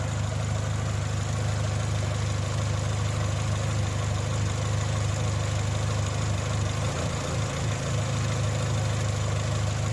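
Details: Dacia after oil change and oil-system flush, throttle body checked and working: idle speed drifts up and down, dipping near the end instead of holding steady; hunting idle from incorrect cam timing.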